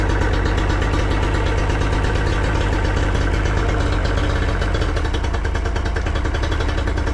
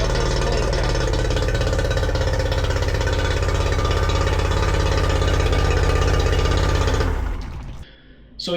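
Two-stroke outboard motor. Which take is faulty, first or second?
first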